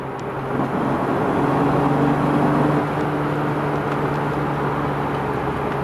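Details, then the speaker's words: BMW E36 M3 after a few burnout launches: a steady low droning rumble under the engine note that swells every time the throttle is applied. Driveline rumble under acceleration; owner suspects the centre support bearing or guibo. "like constant now every time you hit the accelerator that's real Dutch"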